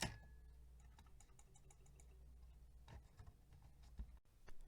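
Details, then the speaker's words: 1970s Radio Shack DuoFone cassette-less answering machine (D-battery powered; its tape had been stuck to the head) plays back a message: quiet, thin sound under steady mechanical ticking about twice a second, playback control must be held midway; circuitry problem suspected. "I have to hold this playback control somewhere in between to get the sound to come through"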